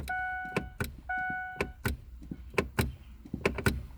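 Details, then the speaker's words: 2005 Ford F-150 with 160,000 miles, key on and brake pressed: sharp uneven clicks about once a second with a steady chime; shift interlock actuator working normally. "you hear the clicking that means the actuator is actually working right now"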